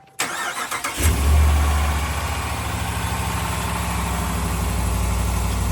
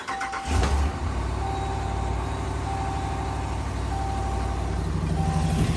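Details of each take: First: 2021 Ram Limited Longhorn, 5.7 Hemi V8 with eTorque, after replacing cracked exhaust manifolds: cranks, catches, settles into steady even idle with no ticking or puffing from the manifolds; quiet, exhaust leak fixed. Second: 2019+ 5th-gen Ram with 5.7 Hemi V8, started cold and idling: a sharp, regular tick about four a second, often mistaken for lifter tick, from a cracked thin exhaust manifold.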